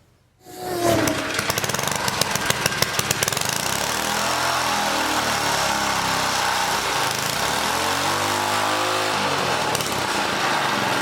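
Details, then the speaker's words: Old 1980 rototiller small engine roaring up and sagging, speed wandering every few seconds; the throttle link, bent and distorted by someone, is hanging up and making it surge, so the mechanic tries straightening it. "this link is hanging up that's part of our problem why it keeps going crazy because somebody was in there bending on it got it all distorted"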